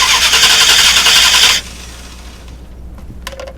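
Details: 2000 Dodge Durango 5.9L V8 no-start that quit on the freeway, cranked by remote starter during a spark test: fast steady cranking around 220 rpm, stops after 1.5 seconds without firing. Cranks, no start; weak spark found.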